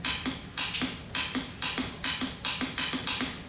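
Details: Motorcycle won't start: repeated sharp metallic clicks, roughly three a second, with no cranking. The starter solenoid is suspected, not confirmed.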